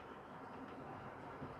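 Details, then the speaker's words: Old tender-driven model locomotive Ringfield motor after the tender was simply oiled, on track: low, steady, even whir with no squeal or screech; now running smooth and quiet. "silence it's lovely and the flyer scotsman's exactly the same it runs better now than it has done for years"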